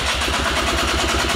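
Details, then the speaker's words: Quad engine, rebuilt with a 3D-printed carbon fiber piston after the original piston failed, on its first start attempts with the choke adjusted: uneven chugging, about seven beats a second. It fires briefly with smoke but won't keep running. "oh my gosh okay it started to run there come on oh it wants so come on come on we got smoke it's doing something I can't tell"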